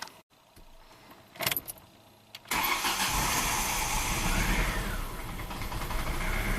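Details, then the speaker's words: Petrol engine fitted with an in-cylinder pressure transducer cranks, catches and settles into a rough, uneven idle running on three cylinders, one cylinder not firing, before a throttle snap and shutdown. "let the idle stabilize here it's running on three cylinders obviously and then snap throttle back to idle and shut her down"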